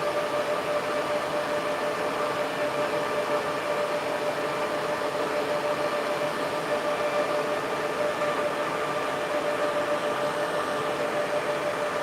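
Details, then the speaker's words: Server fans at full speed, blowing hard enough to move a small tripod. Loud steady rush of air with a constant hum and no rattle, grinding or wavering; normal full-speed fan operation. "the fans are blowing enough that the small YouTube tripod is blowing in the wind"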